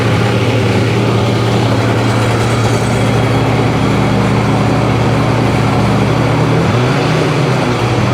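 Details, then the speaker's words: 2005 Sea-Doo 3D 787 two-stroke, previously submerged, running on hose water with oil in the bottom end: steady, even drone with strong low hum, smoky, no knocking or rattling from the bottom end; sounds healthy. "Smoky no bottom end noise at all"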